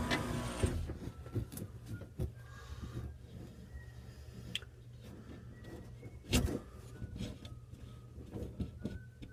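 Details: Wolf downdraft vent lift; low motor drone with irregular heavy thumps as the lift travels, caused by a scratched, damaged roller wheel.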